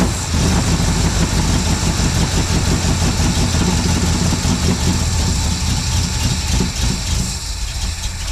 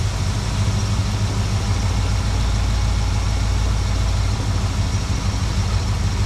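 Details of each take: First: 1972 Plymouth Valiant, 318 V8 (was slant six), Holley 600 carburettor after rebuild: lumpy, uneven V8 idle with a loose wandering beat; running richer, blamed on the wrong primary metering block gasket. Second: 1972 Plymouth Valiant 318 V8, Holley 600 four-barrel refitted after fixing a rich-running fault: deep, steady burble at idle with an even beat, no hunting or stumbling, much better than before.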